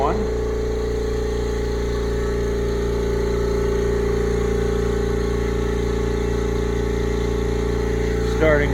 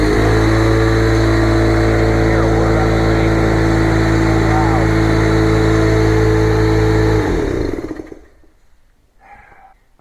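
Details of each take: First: Brand-new upright air compressor, first run, building pressure: even, steady motor hum with constant pitch and no knocking or rattling. It runs smoothly and quietly, quieter than the old unit. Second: Old shop air compressor whose tank has not been drained of water for years, so its safety is doubted and it is being replaced: loud, steady pounding drone with a fast piston beat about three per second, then it cuts off and winds down. Very noisy.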